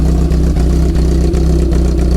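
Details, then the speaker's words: 1987 car now firing on all cylinders (each unplugged plug changes idle): lumpy, loping idle with uneven beats about every third of a second, like a race cam; running rough on stale fuel. "So at the moment, it's running as it's supposed to, but it's just running rough because it's on shitty"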